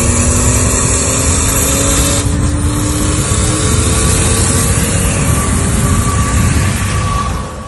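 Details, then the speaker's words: BMW E36 turbo LS swap (LQ4 6.0 L V8, BorgWarner 72 mm turbo): thin whistle above the engine roar, climbing with revs, only under full throttle in boost, not when cruising at 80 mph; owner suspects a boost leak, unconfirmed. "i have this weird like whistling sound that's coming out of it while i'm like only under full throttle so like even if i'm cruising at 80 miles an hour it doesn't make the sound but as soon as i get into boost you hear this sound"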